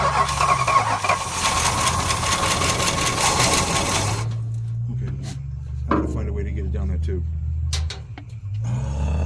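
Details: 1973 Chrysler with 440 V8, cranked by jumping the starter solenoid because the ignition switch is intermittent: steady rhythmic churn for about four seconds, never catches; the accelerator pump is suspected not to be working; crank no start.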